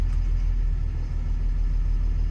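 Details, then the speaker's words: Doosan DX225 excavator diesel with an irregular knock: with cylinder one switched off by laptop, it settles into an even, steady rumble, and the knock returns when reactivated. Injector number one is faulty. "That Knocking Noise disappears if I reactivate it it's back on again and check to number one so you can hear it better outside did you hear that so injector number one's poorly"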